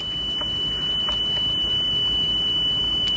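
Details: Sony Walkman WM-EX102 (titled EX610) after belt replacement, speed being adjusted: a steady 3 kHz test tone holds its pitch with no audible wobble. Within ±15 is considered good enough, so tape speed is stable.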